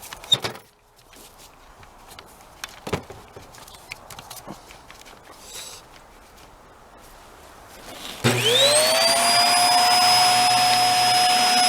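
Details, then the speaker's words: Hoover Air Steerable WindTunnel vacuum: steady high whistle off the top over rushing air, with a plugged hose found and weak suction at the hose. "see where the plug is in the hose because it whistles off the top here"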